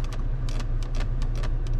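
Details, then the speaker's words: Jeep Compass Limited 1.3 T270 interior: loose Black Piano plastic console trim panel rattles with sharp, irregular ticks and clatters over a low engine rumble; it moves easily when just touched by the leg. "já perceberam, né? Que é esse barulho de acabamento excessivo nessa peça plástica aqui."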